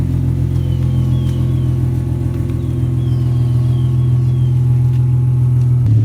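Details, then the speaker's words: Nissan (Project G) on jack stands, cold start after the "cold packs" fix cured its rough running: steady deep rumble with an even firing beat and no misses or knocks, idling normally. "so cold packs fixed the running issue uh car seems to be running fine i'm gonna get a little sound clip at the very end of car cranking up from cold start"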